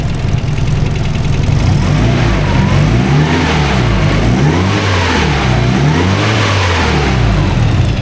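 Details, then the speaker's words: SR32 engine on Link ECU, first start on the Link's preloaded base map, still untuned, fuel pressure present: deep strong engine revving up and down repeatedly, smooth and even with no knocks or misses; healthy running. "Got fuel pressure. There we go. And it's still a base map. There's a lot of stuff that needs to be changed, but you know, good."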